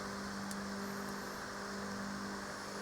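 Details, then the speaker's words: Luba 2 robot mower in its second season, moving with no grass under it: steady fan-like whir with an even hum near 200 Hz; the blades spin freely without cutting, no knocks or rubbing, normal. "And there's no grass mode, so you can hear it spinning. Sounds like a fan because the blades underneath are just spinning, right? They're not really cutting any grass."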